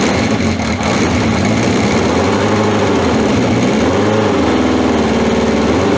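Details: 1981/82 Honda CB750 K, near-cold start after about two hours sitting with battery refitted and fuel tap on: steady, even idle with smooth unchanging pulse, no knocks or misses; running healthy, no oil leaks.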